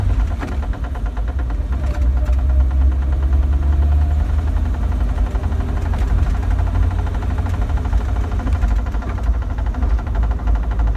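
Faint, fairly regular light ticking over a deep steady rumble; a clicking from the driveline whose cause isn't clear yet.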